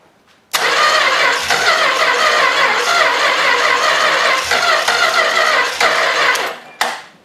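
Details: Long-sitting 318 engine, junked carburetor from sitting forever, primed with gas: it runs ragged for about six seconds, surging and dipping unevenly, then dies. Rough running from the bad carburetor.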